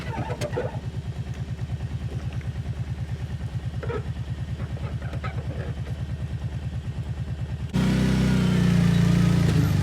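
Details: Outboard on an abandoned jon boat, sat over winter and unknown if it ran, first start attempt in water: crisp, even two-stroke popping, then a smooth step up in revs, no misfires; runs better than expected.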